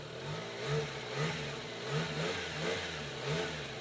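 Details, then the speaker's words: Subaru Sambar truck engine while cold runs even and smooth with gentle steady throttle swells, no misses or knocks; owner notes that once warm it dies when given throttle, suspected carburetor fault. "so yeah as you can hear this thing does run like a top it"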